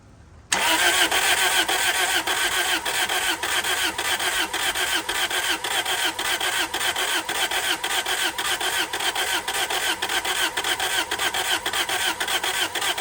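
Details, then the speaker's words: 2003 Toyota Celica GT that sat about three years, oil topped up, on its first start attempt: steady starter cranking at about two compression beats a second, never firing. They suspect it isn't getting fuel and that the fuel pump may be bad. "The answer is no, it doesn't start yet. Sound like it wanted to for a split second. Yeah, I heard I don't that. think it's getting fuel."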